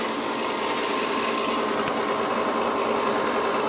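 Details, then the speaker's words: Goodman gas furnace exhaust (inducer) blower before replacement: harsh, fast buzzing rattle with a gritty hiss; the failing motor is being replaced with a new blower assembly. "you hear that exhaust fan motor gonna be replaced i got another one"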